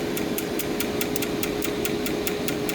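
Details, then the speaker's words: TIG welding machine arc-starting 2% lanthanated (blue) tungsten at 200 amps, repeated starts: sharp arc-start ticks about five a second over steady hum, with early sputters and extra out-of-step ticks from misfires (spark without flash). "Oh, blue is off and running, but we had some sputters in the beginning there. And we got quite a few misfires. Listen to that. All those extra ticks in there."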